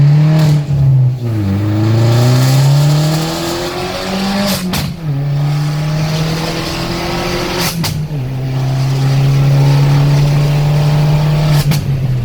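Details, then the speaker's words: Vauxhall VXR after swapping the coil pack and addressing the MAF sensor, hard pulls with traction control off: engine note climbs cleanly through each gear, dropping at shifts, no hesitation or flat spot; normal turbo boost under acceleration. "all right so we're going to do another run um just to make sure it has eliminated the problem so traction controls off see it's boosting perfectly fine"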